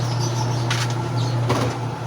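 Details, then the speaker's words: Second-hand washing machine bought for 300 pesos, after removing panties that had been wrapped around inside: even low motor hum holds steady with only a few light knocks, running quietly with no rubbing or scraping. "Guys, okay na. Okay, salamat sa panood ng aking video. Ano guys, okay na."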